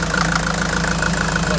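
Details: Mercedes Vito 110 TD diesel idling after delivery valve seal replacement and re-priming, recorded close to the engine: even idle with a light steady injector tick and smooth low hum, no misses or knocks; normal.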